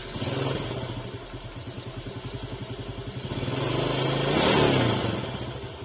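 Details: Yamaha Vega ZR/RR small motorcycle after fixing a small ticking noise and lack of power: idles with an even, steady beat, then revs cleanly and settles back.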